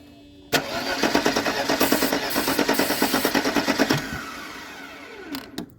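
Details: Mercedes-Benz W201 190E, sat in a field since 2008: steady cranking at about three turns a second for about three seconds with no firing; spark confirmed, later started with starting fluid and throttle.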